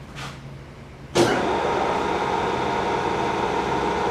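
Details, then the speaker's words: K&T milling machine's hydraulic pump starting at the lowest speed setting, building pressure with oil seen flowing in the sight glass: a click, then a smooth, steady hum with no knocks or whine. Normal pump operation. "here just a few seconds to get rolling and get the hydraulic pressure going this site glass here indicates that the oil is pumping"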